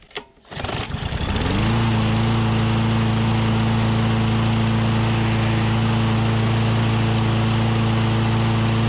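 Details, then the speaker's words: Troy-Bilt mower with a Briggs & Stratton 500 series OHV engine, after valve adjustment for a no-start: catches after a brief crank and settles into a steady, even beat with no valve chatter; healthy. "all right well it fired right up and i am excited about that it sounds good"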